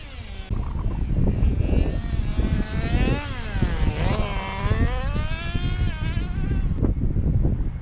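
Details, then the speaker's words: Tamiya Nissan R390 GT1 TGX Mk1 nitro RC car, old engine with a leak at the front, 2-speed: high buzzing engine rising and falling smoothly with throttle, clean pitch drop on shift; running normally without misfires. "As you can hear in the footage there, the car is running reasonably well. The engine is pretty old and it does have a leak in the front, so it's not running the best, but it's actually running pretty good."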